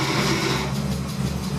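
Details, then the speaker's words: BMW E30 with M52B30 on ITBs and hydroboost brake booster, idling after pressure regulator replacement: pressing the brake brings a low labouring drone from the power steering pump. Owner suspects an air bubble sticking the flow control valve; turning the wheel stops it. "When I pressed brake a couple of times, you can hear the power steering pump."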